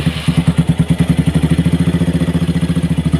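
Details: Motorcycle after piston-seizure repair, third visit: fast steady thumping idle with a dry metallic clatter on each beat; oil is not circulating up to the cylinder head, leaving the top end dry.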